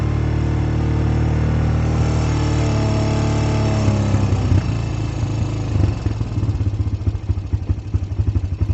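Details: Honda Recon ATV (owner unsure, about 1999–2000) after replacing its dead battery with a sealed lead-acid YTX12-BS, started with choke pulled in neutral: engine catches and settles into a steady, even low putter with no knocks or misses, a normal idle.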